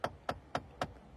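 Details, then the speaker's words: Car knocking behind the dash when the A/C knob is turned: four sharp knocks about a quarter second apart, like tapping with a pen, from plastic slipping as the knob moves. "cuando nosotros movemos esa perrilla y el plástico empieza a hacer esto por eso el sonido como poseído por el demonio"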